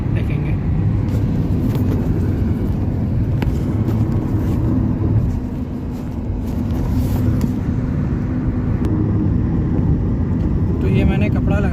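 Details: Car at over 100 km/h, with a cloth fitted over the body panel gap that was causing the high-speed noise: only a steady low road and engine rumble, no whistle or rushing. Wind noise is gone.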